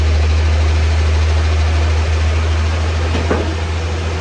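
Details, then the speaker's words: Chevy S10 pickup idling smoothly with a steady low hum after the belt squeal stopped; fix was refitting the old pulley cleaned with Scotch-Brite. Normal idle, no squeal. "I'm not sure why she's ready to take off, but I'll take, and you can hear it stopped squeaking. All I did was I put the old pulley back on, cleaned it with some Scotch-Brite, and that was it."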